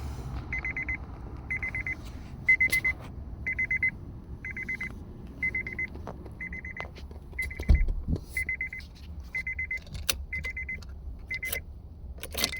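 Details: Key turns to a steady repeating chime, about one beep per second, with no starter whir or crank; suspected bad ignition switch; no crank, no start.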